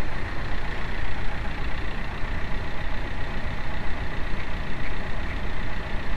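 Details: 2006 VW Mk4 TDI, BEW diesel, 100k: rough, uneven diesel clatter with a faint, steady high whine from a loose, failing water pump.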